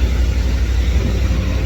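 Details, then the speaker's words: 1987 Chevy 1500 with a swapped mid-90s Vortec 350 V8 rebuild, first start after almost 2 years sitting, cold, oil pressure about 40: deep, even low rumble clearing up with no knocks or misses; normal idle. "Well, you can hear it, it's clearing up, so that's cool. This truck's always been a good running truck."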